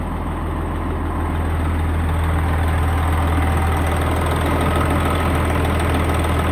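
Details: Semi truck just after its first fire-up following engine repair: deep, steady diesel idle with an even low thrum and nothing irregular on top. Sounds healthy and smooth.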